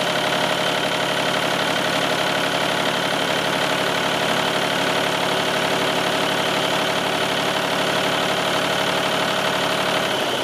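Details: Old tractor just jump-started with a battery booster; steady, even idle with a clean rhythmic chug near four beats a second, no knocks or misses; normal idle.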